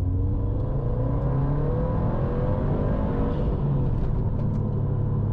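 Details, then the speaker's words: 2008-on Subaru STI (GR/VA) after fixing the fuel stumble, driving in Sport and accelerating hard through 3000 rpm; steady climbing drone pulling hard and evenly with no stutter between 2500 and 3000 rpm, pulls smooth. "that was sport but no no stutter between 2 500 and 3 000 which is what we're looking for it pulls smooth feels pretty good"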